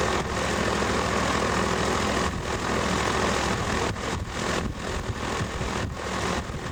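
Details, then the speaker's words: Sevtec hovercraft (SEV) built in a garage in the 1990s, engine run with no exhaust system (earlier builds likely had exhausts; these are much noisier): harsh raw steady roar with a rasping crackle on top, no muffling. "I think the earlier ones had exhaust systems. Mine are a whole lot noisier."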